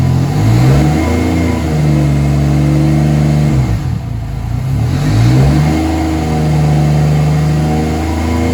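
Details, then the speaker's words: Mercedes W203 with turbo M104 engine, after swapping 440 cc injectors back to original M104 injectors: engine pulls up and settles cleanly through throttle blips, no stumble or misfire; runs much smoother, so issue lies with the 440 cc injector setup. "yeah the engine runs a lot smoother with the m104 regional injectors in there so we definitely know the issue is somewhere in there"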